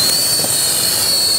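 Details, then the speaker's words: TurboTorch with A2 tip heating copper pipe for soldering: steady high whistle over rushing hiss, normal sound of air entering the tube and a hot tip. "That noise you're hearing, we call it, some people call it whistling. That's the sound of performance. The noise you're hearing is air entering the tube."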